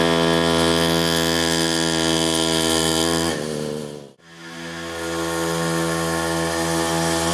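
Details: 47cc two-stroke mini pocket rocket bike test run after reassembly, no fuel leaks: crisp buzzing note holds an even high speed, dips briefly and picks cleanly back up; revs freely, sounds healthy.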